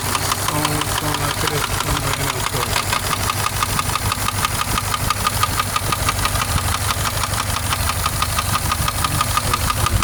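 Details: Subaru boxer engine at idle: somewhat uneven tapping knock about three per second under the exhaust note; internal knock, source undetermined, owner weighing repair or replacement engine.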